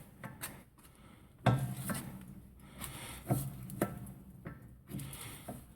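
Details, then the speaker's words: 2001 Dodge Ram 1500, front passenger wheel raised and turned slowly by hand: sharp metal-on-metal ticks about every two seconds from a front axle U-joint with a lot of play. "can hear the noise and from here I can see exactly what's causing the noise just bring the camera in a little closer see if we can see this on camera we have play right here and the U joints and that is a lot of play"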